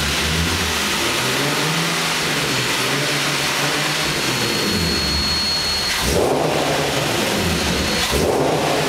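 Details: Nissan 370Z with Takeda short ram intake: revs rise and fall smoothly while a thin high whistle rides on top for a few seconds; unexplained weird intake noise.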